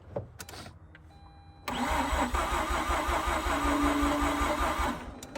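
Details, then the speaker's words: Mazda RX-8 rotary after 2.5 years sitting, spark plugs checked, previously seized alternator: several seconds of labored, uneven cranking with no catch; crank no start because battery not fully charged. "the only issue we run into is just the battery was just not quite charged uh as it should be you know"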